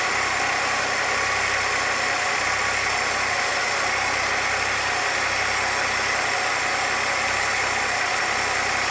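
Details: 1966 Chevrolet C20 with 292 inline six, first run after rebuild, idle mixture tuned by vacuum gauge; slow, even idle with steady low rumble, no misses or knocks; vacuum about 17, rings still seating; normal idle.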